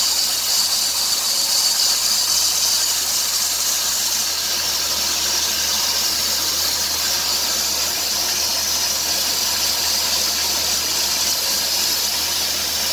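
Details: 2003 Dodge Grand Caravan 3.3 with 372,528 miles, accelerating: a loud continuous hiss with a fast chirp, louder near 2000 rpm, which quiets when the belt is sprayed. The idler pulley, tensioner pulley and power steering pump are already replaced; the owner suspects the drive belt.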